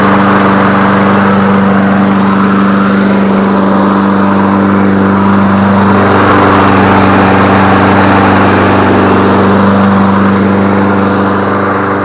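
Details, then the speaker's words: Free Toro 22-inch Recycler mower, reassembled and refuelled after running low on gas, usually starting on the first pull or two; it runs with a steady, even hum, no misses, surging or knocks. "well i put some gas in it because it was low i tried to start it up early once start because i didn't have no gas in it i put my handle on here usually starts first pull or two"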